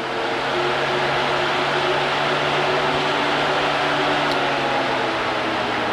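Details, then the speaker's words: Old electric backup cooling fan/AC condenser fan from a 2009–2018 Ram 1500 5.7 Hemi, bench-powered with test leads off the battery: steady whirring hum with low drone, no grinding; it needed tapping to start, weak fan motor. "now the first time i did that i had to tap on it to get it to work"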